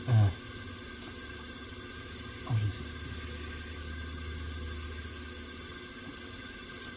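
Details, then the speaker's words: Chevrolet 6.2/5.3/4.8 V8, cylinder pressurized with shop air to replace a broken valve spring without removing the head: steady soft hiss between thumps as air leaks past the piston rings. "maybe it ain't leaking as much as it sounds like it is cuz it's only kicked on once"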